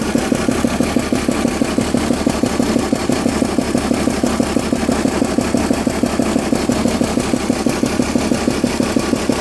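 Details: BMW E46 328Ci with M52B28TU petrol engine at idle: steady ticking knock about three times a second from a loose spark plug on cylinder 5; all plugs worn out, and the engine ran smoothly and quietly after replacement.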